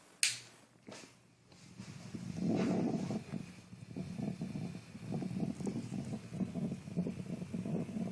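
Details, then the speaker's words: Peavey 6505+ amp head, freshly retubed, heard through the cabinet: after a pop, a low whooping, wavering rumble at a constant level, unaffected by volume or channel; owner suspects the preamp or a filter cap; unconfirmed. "ving a weird whooping whirling noise coming from my cabinet which I'm sure stems from the head the sound stays very frequent does not increase with any volume regardless of the channel"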